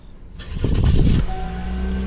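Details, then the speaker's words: 2018 Chevrolet Equinox 1.5L with a new engine, previously crank-no-start with 22 codes, now starting after a connector was reseated: a short crank, then it catches cleanly and settles to a steady low idle. "there we go now it starts"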